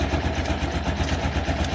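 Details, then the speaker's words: Honda scooter CVT after replacing the rollers and sliding pieces and tightening the nut with a 19 mm wrench: a smooth, even low putter with no knocks. The clattering heard earlier from the roller housing is reduced, and the belt drive runs normally. "Halus K suaranya ada suara kotor-kotor."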